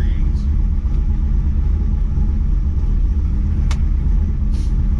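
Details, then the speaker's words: Trans Am V8 after replacing cracked plug wires, now firing on all eight, cold start tuning unfinished, about 75 degrees before warm-up: heavy, steady idle rumble with even pulses, no miss; normal idle. "it feels like it's running a ton better right now so uh i guess that helps when you're running on all eight cylinders oh yeah that sounds mean"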